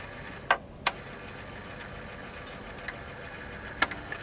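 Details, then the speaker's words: Sharp Twin Famicom disk system (Mitsumi drive), after replacing broken drive belt with a Mobilon band and adjusting the magnetic head: faint steady spin hum with sharp clicks as the head steps; disk rotates and head seeks normally. "You can hear that the disk rotates and the magnetic head seeks."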